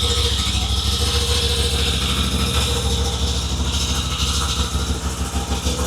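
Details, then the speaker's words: 2021 Moto Guzzi V85TT V-twin, first start after timing chain tensioner replacement, before reassembly: steady, even beat with clean top end and no timing chain clatter; sounds as it should. "So, now we're going to uh try for the big start before we build it all back up. So, here we go. That sounds how it should sound."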